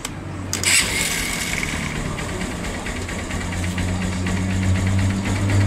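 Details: Single-cylinder motorcycle that was noisy, like metal knocking, when started cold; after decarbonizing and replacing the valve seals (tensioner had been replaced twice without help), it catches quickly and settles into a smooth, quiet idle with no knock or rattle.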